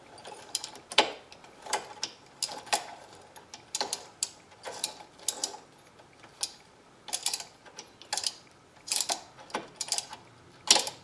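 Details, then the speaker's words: Restored Sturmey Archer 3-speed hub with the gear shifter just screwed back in, turned by hand. Crisp, light clicks once or twice a second as the gears shift inside, with no grinding: clean engagement. "and you know if you tighten up a bit you can tell when the gears are shifting of it you can hear them inside"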